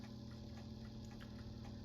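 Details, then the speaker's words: GE Tela-Alarm Jr. Telechron rotor after an attempt to free the frozen rotor with cleaning and oven heat. It started poorly, stopping and starting, and now runs rough with faint hum and scratchy grinding. Owner considers another oven round. "It's not running particularly smooth. It didn't start all that well. It was kind of stopping and starting, but there it is actually running. Sounds like it's grinding in there."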